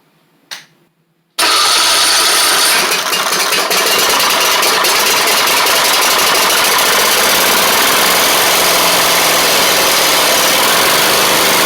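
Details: Troy-Bilt Mustang Z46 zero-turn during wiring repair, test-started with one spark plug wire possibly not fully connected: fires on the first try into a steady, even idle with no misses or stumbles.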